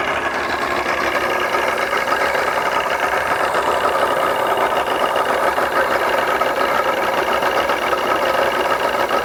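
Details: 2001 Mercury 200hp EFI outboard on a ProCraft Fish and Ski boat that will not go past 7 mph under load, running with the spark checker removed. It has a busy, uneven, stumbling note. Mechanic doubts the stator and suspects the fuel system; cause not confirmed.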